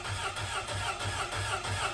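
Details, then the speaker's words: Grumman LLV mail truck, Iron Duke four-cylinder, cylinders two and three at about 30 psi compression: cranking chugs unevenly with a distinct skip from the two dead cylinders. "You could hear that distinct skip. Listening to an engine when cranking is such a great way to determine if you have a dead cylinder or two."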